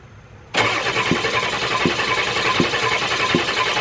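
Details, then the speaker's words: 7.3 IDI diesel cranking: the starter spins steadily, about eighty beats a minute, but the engine never catches. The injection pump drive shaft, on a pump with about 1,000 miles, has sheared and is not spinning; thick waste vegetable oil overstressed the pump. "I know it's shaking real bad cuz I'm zoomed in but you can see it's not spinning the shaft aside so let's tell me that the shaft sheared broke"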